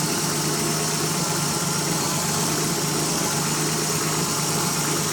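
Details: Nissan 300ZX Z31 petrol engine idling with a steady low hum and a strong, constant airy hiss over it from a vacuum leak.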